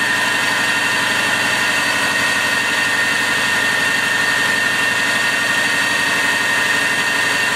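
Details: 1999 Subaru, started after alternator/battery low-voltage repair: smooth, even idle with steady hum and a light whine on top, no knocks or stumbles; normal idle.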